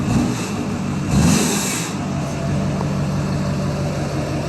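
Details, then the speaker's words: Duramax diesel truck after full delete and tune, turbo cleaned, exhaust redone: quick throttle blip rises cleanly with audible turbo and drops straight back to steady idle; healthy free rev. "can really hear a turbo now so really really sounds great and really really revs great even just tapping the"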